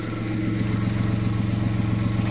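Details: VW Polo whose alternator had stopped charging, repaired for free with a new regulator; now charging with no more dropouts, new flex pipe fitted. Steady, even low idle with a smooth regular pulse and no misses or stumbles; running cleanly after the repair.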